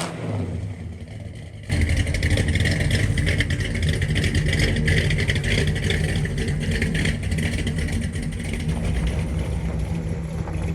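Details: 1963 Ford Galaxie 500, dual-carb 390 V8 with manual gearbox, test drive after a leaking carb float with a bad solder hole was fixed: deep, even rumble pulls cleanly as it drives off, road noise underneath, no misses or stumbles; healthy.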